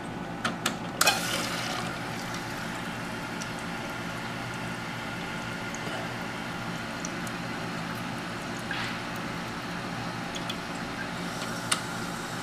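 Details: American Standard toilet after flushing out the fill valve and adjusting the too-high water level: continuous soft hiss into the tank with a few handling clicks, still running; owner thinks the fill valve is worn out, not confirmed.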